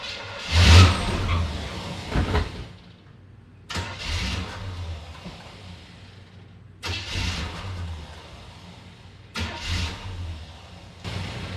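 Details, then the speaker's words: Repeated short crank bursts, each catching briefly then dying within seconds, neutral safety switch bypassed; owner first jokes it is out of gas but both tanks have fuel; engine starts and dies, cause not yet known. "Thing's out of gas. Oh, if only it were that simple. Can't be out of gas. Both tanks are full."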